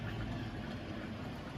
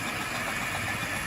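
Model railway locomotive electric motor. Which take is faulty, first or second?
second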